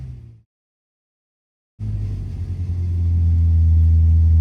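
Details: Engine on a dyno, load reduced to raise rpm past 5,000–7,000 with torque easing off, heavy ignition advance: cuts out, then winds up into a deep, even roar holding smoothly at high revs; clean, normal.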